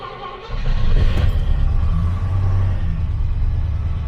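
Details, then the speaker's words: Classic car in the winter fleet warm-up (1972 Rover P6 V8 or 1991 Jaguar XJS V12), cold at 5°C, choke pulled nearly fully out: it catches within a second into a strong, even fast idle with no misses. Oil pressure reads 60 psi and it is charging, a healthy cold start. "We will pull out the choke pretty much all the way. And here we go."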